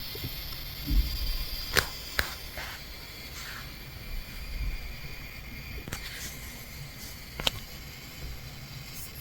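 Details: Asus ROG Zephyrus M16 2023 laptop, i9-13900H and RTX 4070, under load; thin steady high-pitched coil whine with crackles and clicks, still audible but quieter and different in pitch in silence.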